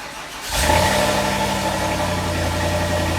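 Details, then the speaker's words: Volvo V70 with swapped-in V8, idling with the complete original V8 exhaust from the S80, headers back, fitted in place of the T6 rear section: catches cleanly, then a deep, steady, even grumble with no misses or knocks; healthy. "So we ended up swapping over the rear part of the exhaust from the S80 so that the entire exhaust from the headers back to the rear of the car was all from the original V8. This gave it the grumble that we had expected."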